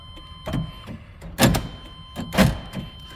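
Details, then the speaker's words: 1999 GMC Suburban door lock after reattaching the loose rod and lubricating the dry lock mechanism: crisp paired clunks about once a second as it cycles lock and unlock, each stroke complete; working properly. "believe it or not this door lock here was just dry so we had to pull our outside door handle off and get some lubrication down in there and now it works as it should"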